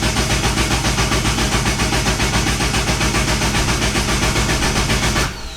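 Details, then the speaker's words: Forged-engine Nissan 240SX being oil-primed before its first start, with the injectors and crank angle sensor unplugged so it cannot fire. Steady, healthy cranking at nearly four compression beats a second, then it stops. Afterwards oil flowed and the oil pressure light went off. "so we've got the injectors and the crank angle sensor unhooked right now so it doesn't fire up and doesn't wash down the cylinders"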